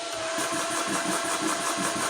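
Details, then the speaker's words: Yong Heng PCP high-pressure travel air compressor started with bleed screw open, unloaded, fan running: quick, even piston chatter with a soft steady hum, no knock or grinding; very quiet, healthy. "man that's really quiet"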